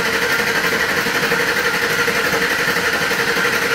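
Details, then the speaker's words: Engine cranking with the throttle held to the floor so it won't start, in a relative compression test using battery AC voltage and a 600 A clamp: uneven, lopsided rhythm, about three beats a second; a cylinder drops out every time, possibly a couple. "all in all through the AC and through the ampage there's a cylinder dropping out every time"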